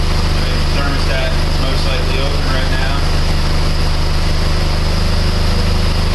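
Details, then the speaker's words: Chrysler PT Cruiser 2.4 after used cylinder head installation, warm at operating temperature after 15–20 minutes with fans on: steady, even idle hum with no miss, whine or tapping; engine healthy. "okay it's been running for a good 15 20 minutes everything's nice and smooth you see everything sounds good there's no winding no missing everything's nice and smooth"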